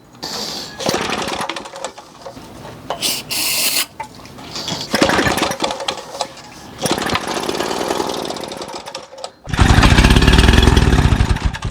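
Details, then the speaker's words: 1936 Johnson Seahorse Model 200 outboard, sat about 10 months, on full choke at wide-open throttle: short ragged firing bursts that die within seconds. Spark is present, but it won't run on its own fuel, and the owner wonders whether one cylinder lacks spark. "She's not running on her own fuel source. No bueno. At least she got spark."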